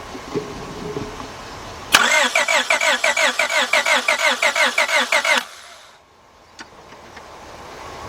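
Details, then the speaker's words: 2002 Honda Accord 2.3 cranks but won't start: starter cranks evenly about five beats a second for three seconds without catching while a scope checks the cam sensor; no matching waveform, so the camshaft position sensor is not signaling the ECM. "all right so that means our camshaft position Center is not sending the signal out to the ECM"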